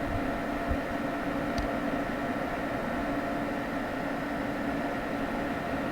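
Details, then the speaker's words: Home server after fan upgrade with Noctua Redux fans and a kept Cooler Master fan: smooth soft whoosh, no rattle or ticking; fans run quietly. "i am going to leave this cool master fan in there because it is extremely quiet i i can't hear it so i call that a major success"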